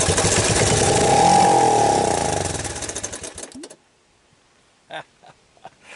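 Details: Long-abandoned Suzuki Quad Runner LT185 ATV single-cylinder, first start on starting fluid after fitting a PZ27 Keihin clone carburetor hack, runs briefly at a quick even beat about 3.5 per second then cuts out; sounds healthy.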